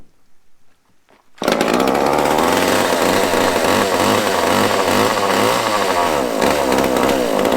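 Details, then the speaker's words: Small chainsaw on fresh gas, choked: fires up into a high buzzing run with slightly wavering speed. The impulse fuel pump is working, but the carb likely needs adjusting. "Well, I know the impulses or the pump's working because I can see fuel going to the carb, so we might have to play with that one a little bit. But it runs too."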